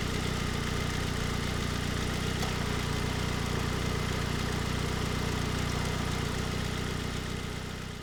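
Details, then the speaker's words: 2007 Ford Focus SE 2.0 after replacing the belt tensioner, idler pulley and serpentine belt, warm after a couple of minutes: smooth, even idle with a steady low hum and no belt chirp or squeal. Belt noise is quieter than before; only old-engine noises remain. "Pretty quiet as far as belt noise goes. I mean, it's still making, you know, noises that old tired engines make, but as far as on the belt end, I think it is quieter than when we started."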